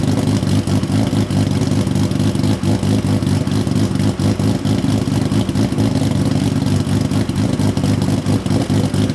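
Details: Built Nissan RB26 in an R32 GTR (fully ported/polished head, 260 Tomei cams), just fitted with a new loud exhaust and muffler: loud, choppy, steady idle with deep exhaust rumble, no knocks or rattles, rotary-like. Normal lumpy cam idle.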